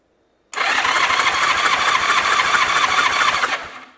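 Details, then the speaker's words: Abandoned 1981 Honda GL1100 Gold Wing (second generation) with a previously seized engine, compression test at full throttle. Steady fast cranking, even and strong; gauge reads 175 psi, good cylinder. "Ciento setenta y cinco libras en ese cilindro. Ese está bien, sí."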